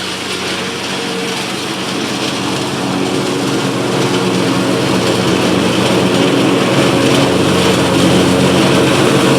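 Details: Cub Cadet Ultima ZT2 zero-turn mower with a 60-in deck, on the final grass test after several no-start issues were repaired: a steady, even engine drone at one speed with no misses, knocks or surging. It is running healthy.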